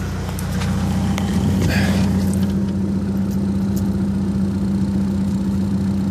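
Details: VW Mk4 Golf ALH TDI diesel, about 414,000 miles, after fixing P3105 rough idle: shorted anti-shudder valve solenoid wires repaired, solenoid relocated to firewall. Steady, even diesel clatter at idle, no stumbling or hunting; normal idle.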